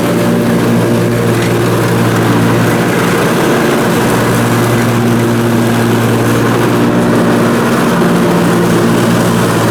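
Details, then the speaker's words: Briggs & Stratton Intek M44 twin engine after a full twin-carburetor tear-down and clean, while mowing: steady, even drone with constant low hum, no hunting or surging; sounds way better. Normal running under load after repair. "let's see if she's all good now it's fired up sounds way better anyhow well that's good"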